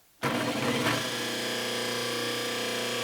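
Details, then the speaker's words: Delta 1 hp repulsion-induction motor, 1725 rpm, 110/220 V, after overhaul with a refurbished commutator and new bearings, brush angle increased: hums in sharply and reaches full speed in under a second, then holds a steady, even tone; healthy quick start. "starts much faster much better comes right up to speed that's how it ought to be not not that slow start so that really jumped up"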